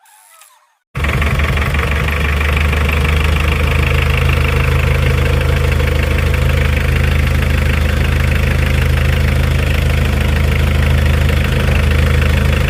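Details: Mitsubishi Adventure with 4D56 diesel, hard to start in the mornings, after glow plug work: catches instantly and settles into a steady, even diesel clatter with no misses or hunting; normal diesel idle.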